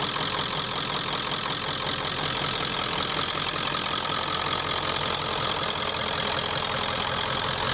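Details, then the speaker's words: 1995 Ford F250 4x4 7.3 Powerstroke turbo diesel after glow plug and harness replacement: steady, even diesel clatter at idle, no misses or knocks, sounding much better than before. "that sounded better kind of a hey a lot better than it was"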